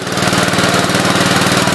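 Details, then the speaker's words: Gravely 8123 after an engine swap, timing set and head retorqued, new paint burning off the cylinder: quick, even single-cylinder beat at steady speed, no knocks or misses; runs smoothly. "Hey, it runs good. You guys could smell that new paint burning smell. Probably all the paint on the cylinder and stuff. Sounds good."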